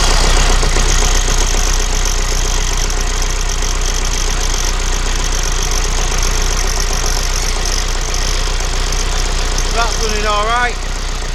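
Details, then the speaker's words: Vauxhall Vivaro 2.0 diesel after new power steering pump and auxiliary belt, bleeding system by turning lock to lock: steady idle with even low beat, no pump or belt squeal or groan; normal idle. "what I'm going to do is I'm going to fire it up to turn the lock left to right left to right try and push the fluid through the rack"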